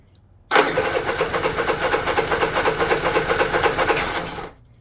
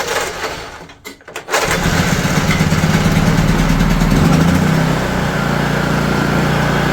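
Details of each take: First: Honda EU3000is generator that runs on the pull rope but won't start electrically, after fitting new ignition switch: steady rapid cranking, about two compression pulses a second for four seconds, never fires; no spark on spark checker. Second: Honda EU3000is generator that won't start on its electric starter, hand pull-started after flooding, eco mode off: catches and settles into a steady, even low chug with no misses.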